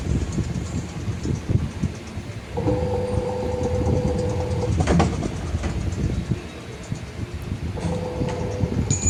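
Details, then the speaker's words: Washing machine spin cycle: heavy rumbling with uneven, tractor-like knocking and excess vibration as drum bangs around; suspension rods (four, two front two back) holding drum may have lost spring tension. "பார்த்தீங்களா, இந்தமாரி sound வந்துச்சுனாக்கா அந்த பின்னாடி 2 கம்பி மாதிரி சொன்னேன் இல்லையா? So அது பேர் வந்து சஸ்பென்ஷன் ராடுன்னு சொல்லுவாங்க."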